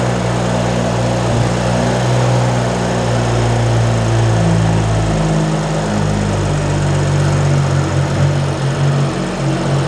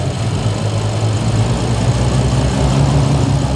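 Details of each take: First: 2011 BMW F10 535i, N55 engine, first start after replacing the wrong VANOS solenoids that caused a severe misfire (straight-piped exhaust): steady, even idle with no stumble or miss, running smooth. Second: 2011 BMW 535i F10, N55 engine with straight pipes, auction car: loud rough lumpy stumbling idle from a dramatic misfire; compression checked healthy.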